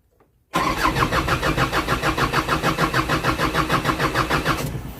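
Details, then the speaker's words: Isuzu 4HF1 diesel rescue truck with hard starting and rough idling: the starter cranks in an even beat for over four seconds without catching, taking so long the battery nearly drains. "So, hard starting siya. So, mapapaandar mo to, pero sobrang tagal. Halos na malulubat na yung baterya."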